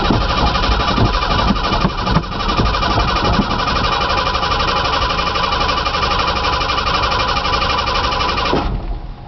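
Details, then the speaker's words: Truck on a cold start after sitting about two months with a new battery, fuel pump audible and gas present: starter churns steadily at about three turns a second for eight seconds without catching; crank no start, owner suspects it sat too long. "Houston I think we have a problem might be out of gas I can hear the fuel pump check for gas okay gas show you the screwdriver yeah hmm I think I got a problem let it sit too long let me down forward usually always cranks"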